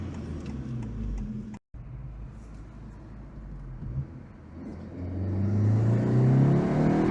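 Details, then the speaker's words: 2025 Honda Civic Si, 15,000 miles, manual, with PRL high-volume intake and cold air duct, cruising around town. Quiet cruising, then a whoosh and rising whir on light throttle: normal turbo spool and intake recirculation. "It really makes the car sound good, especially when you're just cruising around town. You give it a little gas, you can hear it recirc. It sounds really good."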